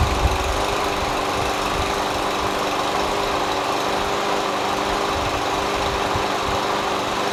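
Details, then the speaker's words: MTD Yard Machines push mower, Briggs & Stratton 550EX Ready Start auto choke, found on curb; surged and ran rough before carburetor cleaning. After carb clean and a substitute linkage spring: smooth, even single-cylinder run, steady beat, no misses; sounds healthy. "Sounds great after that carb clean, you know what I mean?"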